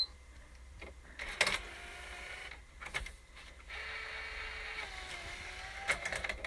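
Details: PS4 disc drive after swapping the top mechanical faceplate: a short whirring motor run with a rising tone and light clicks as the disc pulls in and seats cleanly on the first try. Normal disc loading.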